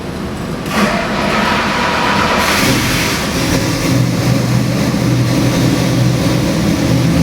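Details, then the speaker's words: Chrysler 440 big-block EFI multi-port injected crate engine firing up on dyno, forged crank, H-beam rods, forged pistons, mechanical roller cam, 85 psi cold oil pressure: catches and settles into strong even run, no knocks or misses, normal. "We got this Chrysler 440 EFI engine here on the dyno. It runs absolutely spectacular."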